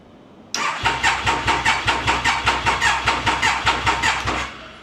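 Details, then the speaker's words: Triumph Daytona 955i project bike on its first start attempt after fuel-system priming. The starter churns in slow, labouring strokes without catching because the battery is too flat, so it will be jump-started from another bike. "that is definitely not enough juice. So, I'm going to start up my bike and jump it."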